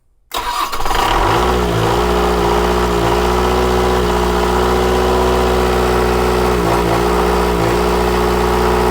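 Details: Onan diesel generator on a 1979 Hatteras 58' boat, with fuel supply problems, just after priming the electric fuel pump: catches and runs, but speed sags and recovers every second or so; owner suspects a little air still in the line.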